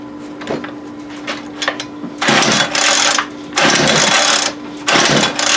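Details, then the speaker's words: Homelite UT33650A 26cc string trimmer with old, cracked fuel lines: short pulls, then about one-second bursts of revving that drop away each time instead of holding. It starts but bogs and dies on throttle; carburetor issue, possibly air-fuel mixture. "there must be what he's talking about so we definitely we have a carburetor issue I don't had my hand on the throttle so it was killing"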